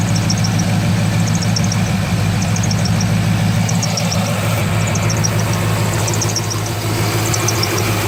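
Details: 2003 Corvette Z06 V8 at idle: fast high chirping squeaks in clusters from belt drive, starting about thirty seconds after fitting brand-new main belt; tensioner pulley seems fine, AC belt, idlers and harmonic balancer unchecked.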